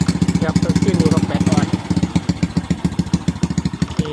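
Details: Honda Wave 125, weak battery: even, steady single-cylinder putter at idle heard from the exhaust, regular firing with no knock or miss; engine sounds healthy.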